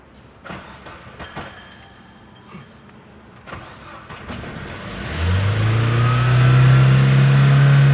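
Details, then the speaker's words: Chevrolet Aveo suddenly raced to high RPM on the expressway; engine fires and climbs to a high steady drone with no pedal input, idling far too fast. "dito guys makikita nyo na nagwawild no, habang hindi man natin tinatapakan yung ating accelerator pedal."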